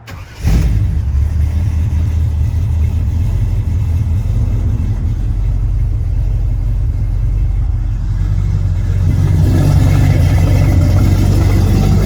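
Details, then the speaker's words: Lifted squarebody crew cab 3+3 truck, restored project: V8 fires up at once into a deep, smooth rumble that swells cleanly when revved near the end; healthy engine start and revving. "every gauge works on the dash I'll go ahead and fire it up so y'all can hear it run"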